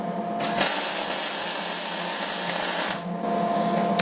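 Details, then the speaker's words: MIG welding square tubing for a coat rack by a beginner welder: even, steady frying-bacon crackle for a few seconds with no pops or breaks; normal, stable MIG arc. "That sounded very good. That's a good sound."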